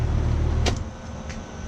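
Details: AC condenser that would not start with indoor blower running, after reconnecting a loose, pulled thermostat control wire: brief steady low hum, sharp click, then quieter running; condenser starts and runs normally.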